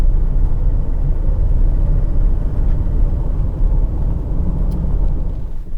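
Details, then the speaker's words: Diesel Mercedes (Digby, back after 20 years), still running rough and smoking after two injectors were changed: low idle rumble at a stop sign after a hard run, uneven stumbling beat, improving, now apparently missing on only one cylinder. "As I'm sitting here at the stop sign, it's actually starting to run a little better. Now it sounds like it's only missing on 1 cylinder."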